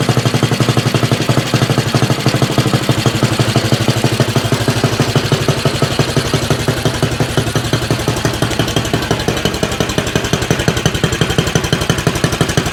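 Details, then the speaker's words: Axis M200 mini bike, 196cc single, 22mm Mikuni carb, aftermarket exhaust, governor delete, cold start before rejetting: loud uneven loping thump about three beats a second; very rich rough idle with black smoke, mid-throttle flat spot. "It does seem like it about mid throttle, it has kind of a flat spot, and also at idle, it is getting really, really rich. It's actually kind of puffing out some black smoke."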